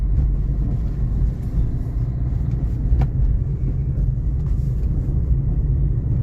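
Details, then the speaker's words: Maruti Ciaz driving after clutch plate, pressure plate and bearing replacement and oil leak repair: only low even road rumble, no whine, chatter or grind; normal clutch and drivetrain. "Car के अंदर बिल्कुल भी आवाज नहीं आती और इसकी pickup भी शानदार है।"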